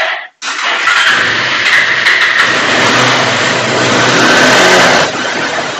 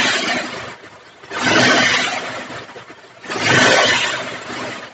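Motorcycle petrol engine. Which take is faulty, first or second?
first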